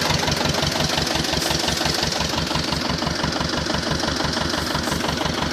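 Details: T-25 tractor diesel engine after repair, normal idle: steady, even diesel clatter of about three beats a second, no misses or knocks standing out; engine sounds healthy.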